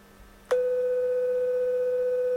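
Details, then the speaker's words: Carlsbro Cobra 1100 200 W four-channel PA amp after repair of fuse-blowing fault, 500 Hz test tone played into the microphone input: clean, steady tone at constant level, slightly warbly, no hum or crackle; the channel works normally. "It's kind of warbbled effect. I can hear it. And you can see that on the scope there. So, that channel's okay."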